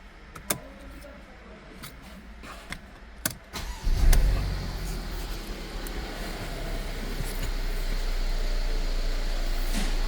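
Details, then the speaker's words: Mercedes M274 engine from Japan, about 52–53 thousand km: after some handling clicks it starts and settles into an even, steady idle with no misses or knocks; no smoke; runs healthy. "Двигатель работает ровно. Задымления не наблюдается."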